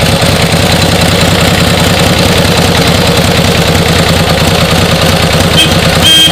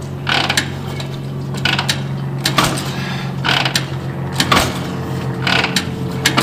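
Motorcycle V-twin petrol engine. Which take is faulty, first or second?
second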